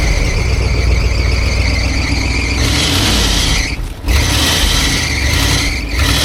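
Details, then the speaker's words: 1973 Ford F100 Ranger XLT, long-sitting truck with no working brakes, creeping out under its own power; a loud high squeal rides over the engine as a stuck brake that just broke free keeps dragging. "oh man the brake it finally unstuck yeah we have no brakes but yeah brake still trying to stick on it but she's trying to charge"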